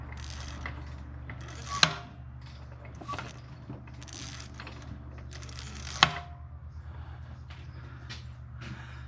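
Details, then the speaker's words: 1989 Honda Prelude engine with valve cover and spark plugs off, turned slowly by hand through the compression cycle: a couple of sharp, isolated taps over a faint hum. Very poor valve lash is suspected. Valve train tapping. "okay so as you can see uh there is a really awful tapping noise as uh we roll over uh in the uh compression cycle and that is likely caused by really horrible valve lash"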